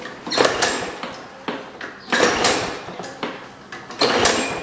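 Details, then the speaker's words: Trash-picked Toro Super Recycler push mower with Personal Pace self-propel, year unknown: three slow recoil pulls, each a brief churning crank dying without catching; cranks but will not start, owner suspects the carburetor needs cleaning. "Uh-oh. It's not looking very good. Yeah. Alright, I'm starting to think the carburetor needs some help."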